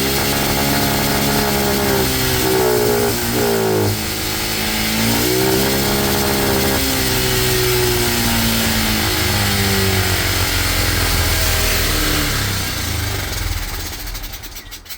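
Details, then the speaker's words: Cheap monkey bike carburettor, after raising needle clip one notch richer, new head gasket, still smoking: small revs rise unevenly and hang instead of snapping clean; still boggy, air-fuel screw to be adjusted next. "Okay, it seems a little bit better. Still a bit boggy, so we're going to be just adjusting the air fuel screw."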